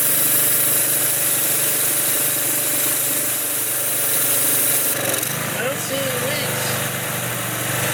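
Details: Used consumer pressure washer engine on retry: small engine runs a steady busy buzz, holds speed evenly without misses or knocks; sounds fine, oil change planned later and maybe a valve check.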